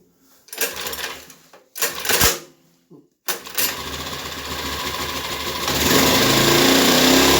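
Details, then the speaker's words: Ryobi 1200 (1.2 kVA) generator, 3 hours use, stored 3 years, wouldn't start; after carburetor cleaning, reassembled restart on choke: two pull-start bursts, then catches and settles to a steady even buzz rising slightly as it warms; normal running. "Okay guys, this was a success story. From I don't know what is wrong answer to the owner, to a 10-minute job to get it running and another half an hour to clean up the carburetor."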